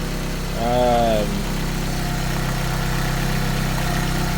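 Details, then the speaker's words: Toyota AE86 with Blacktop 20-valve swap, first start after new Mishimoto radiator installed following water pump failure from clutch fan: steady even idle, smooth low hum, no knocks or ticks, healthy. "should we fire it up see what happens said we fire it up see what happens she fires up pretty well huh"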